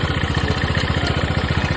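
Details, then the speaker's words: TVS Ntorq scooter idling before repair; fast, steady "kat kat kat" knocking from inside the engine that keeps time with the engine: timing chain and oil pump failure knock. "आप पहले सुन लो इसका sound कैसा है देख सकते हो अंदर से कैसा cut cut cut cut sound आ रहा"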